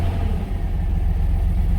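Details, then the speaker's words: Chevy 3500 V8 after replacing the oil pressure sending unit: deep, steady idle with even beat, no ticking or knocking; gauge still reads low, actual oil pressure test pending. Normal idle. "Gauge reading is the same, but as you can hear, the motor is not kicking or anything."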